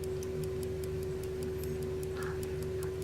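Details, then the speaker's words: Electrically wound German Telenorma mantle clock movement, possibly 1970s–80s, U2 battery: armature flicks over to rewind the spring with a click, then crisp, evenly spaced ticks about five per second over a faint hum; escapement beating normally. "and it winds it up the mixers so you can hear it ticking which you would do and also hear the click when it realises the spring"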